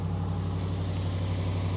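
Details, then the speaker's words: 2020 RAM 1500 5.7L Hemi V8 with MagnaFlow/Flowmaster muffler, otherwise stock exhaust, push-button start: deep, even idle rumble, no ticking or tapping; healthy normal idle, engine itself quiet, most noise from exhaust. "Nope, she sounds good. And honestly, on this truck, the engine's really not too loud either."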